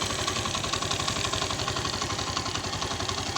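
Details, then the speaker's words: Suzuki GS 150 single-cylinder just rebuilt with new rings and piston, idling with light quick tappet ticking and slight gearbox noise; tappets to be adjusted after about a week of running-in. "हल्के से सिर्फ tablet का sound है। ये भाई एक हफ्ता चलाएंगे इंशाल्लाह। उसके बाद फिर इसके सिर्फ टैप टाइट होंगे और बक्से में भी थोड़ी सी आवाज है इसकी ना।"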